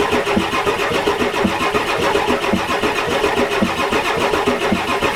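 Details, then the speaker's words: 1993 Ford F-250 7.3L IDI diesel cranks steadily at an even pace but never fires after hours of trying; crank-no-start. Owner suspects glow plugs not working, a bad return line, bad O-ring sets and probably the injection pump; ether is being used reluctantly. "so the goal plugs are not working that's the problem the return line here is bad dollar ring sets are bad probably an injection pump"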